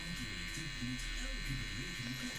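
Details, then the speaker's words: Sony 5-303E TV under repair, with the picture now good: a steady electrical buzz from the speaker with no programme sound or sound check signal on any channel. The tuner is suspected OK and the connection to it is suspected. "did manage to make the sound work and it buzzes I think you can hear the buzzing but I can't get the sound check signal to come true no matter how many times I try"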